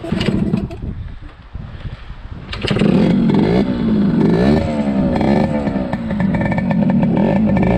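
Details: 1974 Yamaha RD60 two-stroke, first start in over 8 years, running without choke: ragged popping settles into a busy, uneven idle with rev blips and smoking; runs but idles rough, carb cleaning planned.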